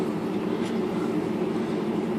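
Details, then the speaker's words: IBM Selectric typewriter after replacing a bad motor, tightening the belt, rebuilding the clutch and fitting a bushing: even steady whir with no knocks, rattles or slipping, smooth motor hum; healthy running. "I already rebuilt the clutch and put a bushing in here this should be out ready to go nice and smooth"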